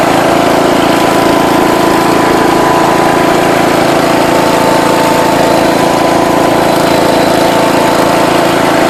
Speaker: alright guys got it running again this thing flies